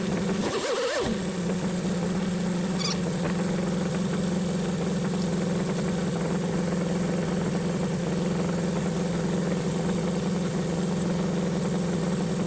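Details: 1976 BMW 2002 (E10) M10 engine, new Weber-style carburetor and swapped coil: starts right away and settles into a smooth, even idle about 700–800 rpm, much smoother than with the old carburetor.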